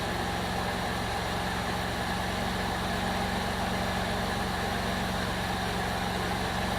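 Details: 2002 Jeep Liberty 3.7 engine just swapped in, first run after intake got wet from pressure washing: steady, even idle with constant low hum, no knocks or misses; running smoothly, though smoky and check engine light on.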